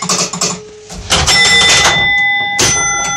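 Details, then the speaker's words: Gottlieb Spin A Card pinball machine during repair, spin unit in the back box: quick run of mechanical clicks and clatter, then clear ringing chimes as it spins round and selects a number; spin unit operating normally. "And you see it spun round and selected a number for us."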